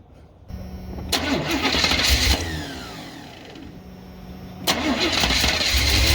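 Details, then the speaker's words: 1986 Chevrolet C10 Silverado 350 5.7 V8 fires and revs twice, settling evenly with no knocks, ticks or stumbles; engine runs sound, oil leak traced to the oil pressure sending unit, not the intake gasket. "sounds good so yeah like i figured an old ascending unit right there at least the motor is good at least it ain't the intake gasket"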